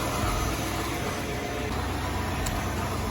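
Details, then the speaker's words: Impala SS V8 idling after coolant added, engine not yet hot, owner notices smoke, suspects exhaust leak or burning-off degreaser: steady even low rumble, no knocks or ticks; normal idle. "She's purring like a kitten. Impala is almost ready for the road."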